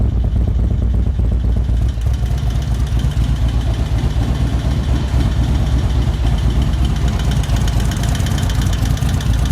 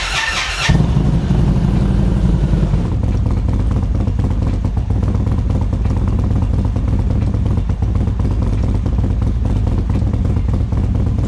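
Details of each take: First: 2024 Indian Roadmaster ThunderStroke 116 with a newly installed Lloydz 585 cam, before ECU flash and not yet warm: loud lumpy V-twin idle with quick light valvetrain clacking, from a bled-down lifter that should quiet at operating temperature. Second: 2024 Indian Roadmaster ThunderStroke 116 V-twin after Lloydz 585 cam install and flash, warming to operating temperature: short start-up burst, then steady deep idle, no valve-train tapping; earlier clatter from a bled-down lifter gone, no engine lights.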